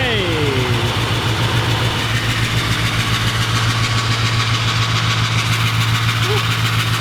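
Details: Adventure bus V8 idles with a lopsided, train-like chuffing because cylinder 7 is dead and misfiring every cycle, traced to a valve held open; fuel pressure (60 psi) and injectors tested good.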